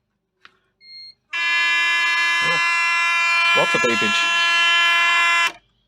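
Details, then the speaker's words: Mazda FC RX7 project car in neutral, engine not running: a steady mid-pitched buzzer sounds for about four seconds. It seems to warn against something, but the cause is unknown. "i really don't know what that one is that's a sounds like a beep that should tell me to stop doing something"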